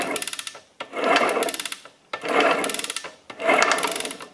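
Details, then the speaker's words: 1999 Kawasaki KE100 two-stroke engine, seized from lack of lubrication, crank turned slowly by hand: rough, gritty grinding bursts with fine ticking from worn crankshaft main bearings. "sometimes like in this case it needs crank bearings unfortunately listen closely guys you can hear the bearings"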